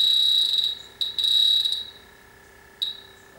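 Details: Refrigerant leak detector on a grain-drying dry air generator that lost its refrigerant squeals shrilly in roughly one-second bursts, then goes quiet, at the coil area. Spray showed no bubbles, but a leak was ultimately found in the evaporator coil.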